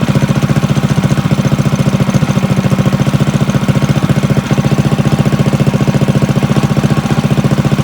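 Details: Drift trike small single-cylinder engine after the clutch was refitted: even, steady putting beat with no knocking throughout the run; running healthy.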